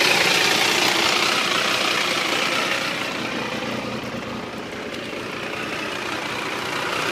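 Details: Triumph 955i motorcycle at idle: a fast mechanical chatter about four per second over the engine hum. It is always present, worse when hot and louder on the left side; the owner suspects clutch or valves, cause unclear.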